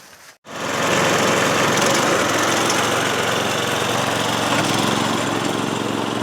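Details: 5HP Briggs & Stratton engine on a DR Power Wagon utility cart after fuel leak repair: catches and settles into a fast, even buzzing run with no misses or stumbles; healthy.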